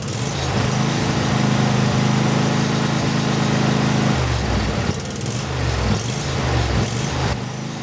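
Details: Briggs and Stratton 24HP V-twin lawnmower engine after full carburetor cleaning: steady, even throb roughly 220 pulses a minute with no hunting or surging.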